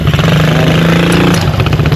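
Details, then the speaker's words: 125 Blazer RFZ sport quad running after tune-up; uneven rattling chatter and sharp ticks from the drive as the chain slips off the sprocket, blamed on a bushing awaiting replacement, zip tie helps slightly; everything else tight. "You hear it though? You hear it slipping? It's because that bushing, everything else is tight."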